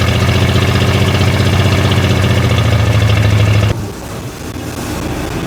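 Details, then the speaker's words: 1964 Chevrolet C10 pickup started after 23 years of sitting, fed by a fuel-filled hose and carb bowl, with the choke set by hand. Fires and runs with a strong low pulse, then sags and stumbles: unstable idle, expected after long storage. "She's running. Doesn't want to idle, but that's to be expected."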